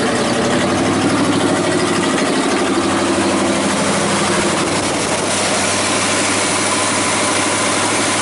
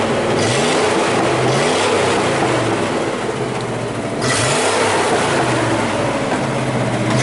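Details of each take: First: 1979 Chevy square body 3/4 ton 350 V8, sat about 23 years, first fire-up on fuel poured into carburetor: rough uneven idle, smoky, irregular heavy banging seemingly in the engine from underneath, source being tracked down; banging noise on start-up. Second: 1979 Chevy square body 3/4 ton 350 V8, running again after about 23 years sitting, still warming up: steady idle then several smooth quick revs rising and falling, no misses or knocks; normal idle and revving.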